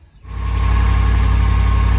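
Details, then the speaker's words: 2019 Dodge Ram 1500 Tradesman just after repairing a broken exhaust flange bolt; engine fires and settles into a smooth, steady idle with no ticking, puffing or exhaust leaks. "Now, as you can hear, she's a happy girl. We got no leaks, nothing. She's happy."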